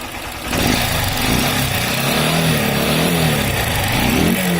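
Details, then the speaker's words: Honda CG 160 Start, 29,000 km, engine previously seized from oil neglect and smoking: single revs from idle bring a harsh, clattery rattle over the exhaust rising with revs; loud top-end (cylinder head) noise. "e aí já dá para sentir o barulho forte no motor"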